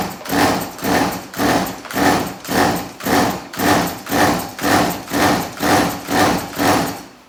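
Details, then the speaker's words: Stihl MS180C chainsaw, final start attempt after a carburetor rebuild kit failed: about two rasping pull-cord strokes a second, each rising and fading, never firing; the original carburetor is suspected faulty and replacement is planned. "and that my friends is the sound of a new carburetor"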